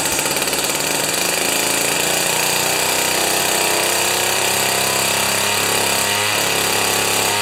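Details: Jiffy 30 2-stroke 3HP ice auger after carburetor work: high buzzy drone at fairly steady speed, no sputtering or surging, after mixture turned out from lean high-rpm whine; properly tuned.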